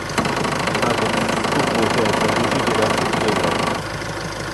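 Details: Isuzu 4JJ1T diesel, 138,000 km in Japan, from a vehicle hit by a falling log, with check-engine light on and exhaust brake stuck on from the damage: even diesel clatter at steady idle, no misses or knocks; idles normally.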